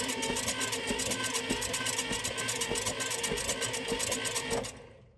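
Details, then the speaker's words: Old car being revived by a beginner, wet compression test on cylinder 1 with a tablespoon of oil, engine cranking: even starter whirr with regular compression beats; reads only 55, so piston rings are suspected rather than valves. "55 okay so it did develop a bit of compression not a lot but maybe that tells us that the issue is more with the piston rings than a valve problem"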